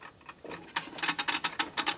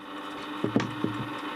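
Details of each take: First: Warburton Franki WF 2 E timeswitch after cleaning: the escapement, not seized, runs with quick, light, even metallic ticking of about five or six a second, and the small second hand moves. Normal escapement ticking. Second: Warburton Franki WF 2 E timeswitch after cleaning, its motor running continuously to drive the mechanism. A steady low hum with sharp irregular ticks; it is not seized but sounds dry, and the owner suspects it needs greasing. Noisy mechanism.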